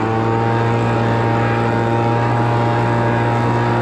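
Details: Homelite Mighty Lite 26BP two-stroke backpack blower after carburetor replacement and adjustment, already warmed up: loud constant buzz at one steady pitch, no surging or stumbling; running normally.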